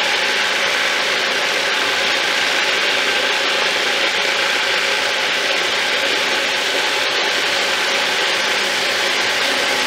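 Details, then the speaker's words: Thumlers UV18 vibratory tumbler, a little over half rocks plus ceramic media, water and 4 scoops 120-220 grit: even constant rattling hiss, steady rhythm, no knocks; normal running. "Alright, that is the kind of movement you want to see. Everything's looking good right now."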